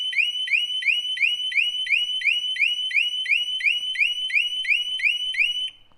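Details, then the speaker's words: 2015 Harley-Davidson Street Glide Special with Smart Siren II alarm just installed, demo: a loud shrill siren sweeping upward about three times a second repeatedly before cutting off. "so that's the first warning chirp there's our second one if Billy badass wants to get on it for third time"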